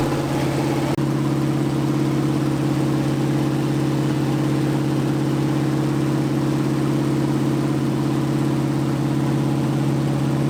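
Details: 1980 Dodge short-bed truck big-block V8, first run in 14 years, during cam break-in after converting from points back to factory electronic ignition; steady even drone at fast idle, no misses, knocks or surging, normal running.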